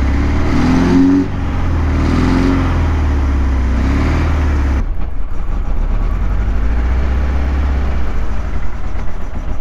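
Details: 1976 KZ900 inline four after about 10 months of storage, started on fresh gas with a few cranks: several rev blips, then a slightly hunting idle. The owner suspects it needs a good run and Sea Foam to clean it up.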